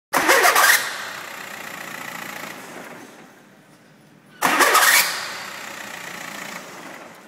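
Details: VW diesel car, two starts each ending in a sharp high screech as the starter disengages from the flywheel; cause a mounting bolt with stripped housing threads leaving the starter loose, brushes also badly worn.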